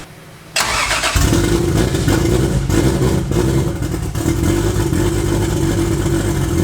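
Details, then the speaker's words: Toyota 2JZ turbo six in a Holden VL Commodore, first start in eight years after wiring work; cranks, catches and revs roughly with an uneven lumpy beat, running on five cylinders; misfire. "it's bloody runs which is the it hadn't done that for like eight years which is awesome for me it was until I was on five cylinders there"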